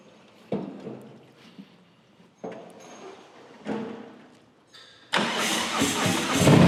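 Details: Harley-Davidson Low Rider S V-twin after Darkhorse Motorsprocket replaced the stock compensator: a few short cranking bursts, then catches and settles into a strong, even idle; clean normal start.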